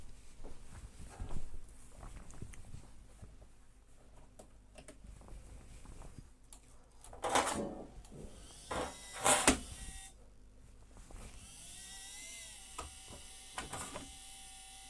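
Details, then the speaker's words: Cooling fan on a Rat Rig 3D printer starting a print: steady multi-toned hum that wavers then settles, after handling knocks; fan bearing suspected mildly damaged, noise goes away after a while. "oh god can you hear that fan the bearing i think in the fan is at least mildly damaged to say the least it goes away after a bit"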